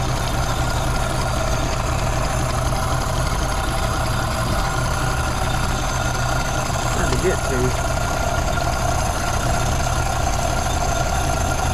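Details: 1932 Ford Model B 5-window coupe four-cylinder, after exhaust/intake manifold gasket replacement (cracked exhaust manifold), bolts retorqued to about 30 ft-lb: even, steady idle with no hiss, whistle or stumble; no vacuum leaks, running pretty good.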